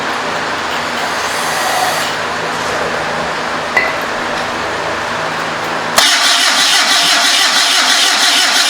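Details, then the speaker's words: Homemade trike with a 1974 Datsun engine, first start attempt: starter cranks about three turns a second, then cuts out, popping through the exhaust but never firing; carburetor suspect (one of two throttle blades not opening), possible vacuum leak or compression issue. "I can hear it popping through the exhaust carburetor's kind of iffy I don't know how that carburetor works"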